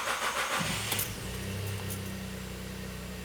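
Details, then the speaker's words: Volkswagen Up, cold start at about 22.5 degrees: short crank catches at once and settles into a steady, even idle with no stumble or misfire; clean, healthy start. "Partida normal também, né? É isso aí, pessoal. Partida normal no carro. Não tivemos nenhum evento."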